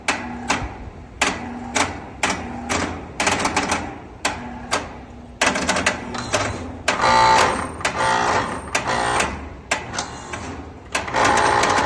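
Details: Frisco, TX A/C condenser cycling on and off: rapid uneven clicking bursts with brief hum between, every second or so, contactor chattering; clogged condensate drain tripping a mis-wired float switch cut condenser power, causing short-cycling.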